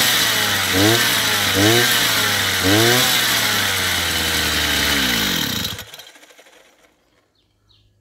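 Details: Chinese two-stroke brush cutter after carburetor adjustment, top speed set to about 9,000 rpm: three crisp throttle blips climb cleanly to a high, even scream, then it holds high and shuts off; running healthy.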